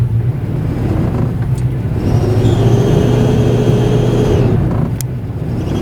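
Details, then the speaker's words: Vehicle bought at auction with a broken, poorly rigged cable, running rough with hesitation; low, uneven engine rumble that lifts and sags instead of pulling smoothly. Codes not yet scanned, cause unknown. "if you can hear some of that there was a little bit of hesitation and weird weirdities so i should probably go and get the checker and scan the uh vehicle and see what type of codes we're pulling"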